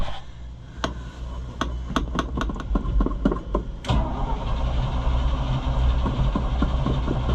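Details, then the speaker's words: Chevrolet C65 grain truck just after carburetor rebuild, first start: irregular pops while cranking, then it catches but runs unevenly with sputters. Rough running after carburetor rebuild. "We're having some struggles."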